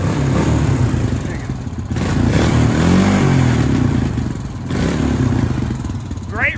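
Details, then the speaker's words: Honda 350 ATV running and riding through snow: a steady, clean single-cylinder thump with no misses, knocks or rattles. The owner says it runs and drives perfectly with no smoke, even cold. Only the rear shock needs replacing. Normal running. "that thing is perfect in driving and running, not a drop of smoke, no cold smoke or anything."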